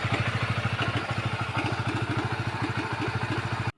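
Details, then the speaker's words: Honda CBR150 at idle before repair: quick steady clatter of about three knocks a second (klutuk-klutuk) over the single-cylinder idle; cam chain tensioner checked and removed as the source of the chain-slap rattle. "CBR 150 guys, keluarnya klutuk-klutuk ya, delok suaranya ya. Kita cek tensioner ini ya, suaranya klutuk-klutuk."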